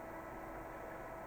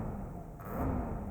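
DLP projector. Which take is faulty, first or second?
second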